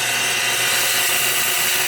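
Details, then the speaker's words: Old pool pump moving rain water from tanks to a garden: loud steady rough whirring hiss with a faint low hum; leaky lid O-ring seal, some gunk stuck inside, pump sounds poor but gives plenty of pressure. "anyway that's the way that is and yeah that pump doesn't sound great but we'll see it'll run as long as it runs probably not go"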